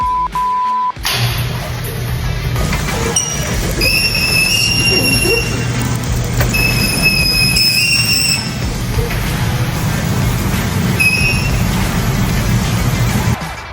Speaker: Nails on a chalkboard. Let's see exactly why that's happening. This is awful.